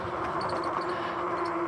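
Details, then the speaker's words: Magicycle Deer full-suspension e-bike while riding, after being taken apart for a flat tire: faint, high, bird-like chirps come and go over the quiet hum; a metal rubbing squeak, cause unknown, suspected part needing adjustment after reassembly. "guys hear it kind of squeaking it kind of sounds like a little bird going don't know what that is now we'll figure it out no big deal the bike is still running that's the main thing"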